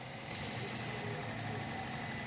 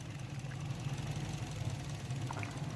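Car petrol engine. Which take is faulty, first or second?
second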